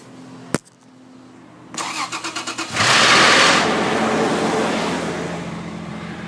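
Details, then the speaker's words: Toyota FJ Cruiser with headers, startup: about seven quick cranking pulses, then a brief loud clattering flutter, possibly in the valve train, that fades as idle settles; owner suspects oil pressure or drain-back, different oil filters didn't help. "so you can hear that momentary like flapping something in the valve train i think but i don't really know where to start"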